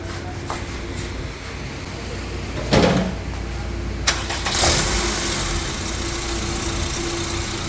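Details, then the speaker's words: Honda Civic that cranked but wouldn't start after starter replacement; after fitting an original starter: short crank, engine catches and settles into steady even idle; starter now works properly. "Okay हो गया बंद करो फिर चलो start हो गया माशा्लाह जी गाड़ी हो गई ओके"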